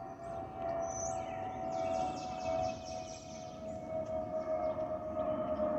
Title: Delta Airlines Airbus A320-212 N350NA DL1167 LGA-DTW (FOPP whistling sound)